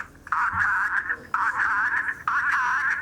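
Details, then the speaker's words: Vintage Dalek voice unit after cleaning and re-oiling the motor bearings: warbling voice-like tone around 1–2 kHz in three bursts, steadier each time as the sticky playback motor frees up; distorted slow playback getting clearer. "That doesn't sound right. Shall I take it outside? Yeah, it's a bit possessed, yeah."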